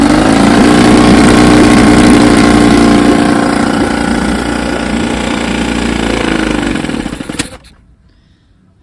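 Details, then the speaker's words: 1954 Evinrude 7.5 HP outboard, restore with replaced frozen power head, barrel test: steady even two-stroke buzz with clean regular beat and no misses before throttle drops and it shuts off; runs like a champ. "sir She's a Beauty runs like a champ"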